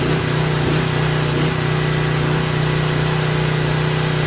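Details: Craftsman 3000 psi, 2.3 GPM pressure washer engine running unloaded after carburetor refit; oil had been overfilled to the top of the dipstick: steady drone with slight rise and fall in speed, hunting at no load, expected to settle under water pressure.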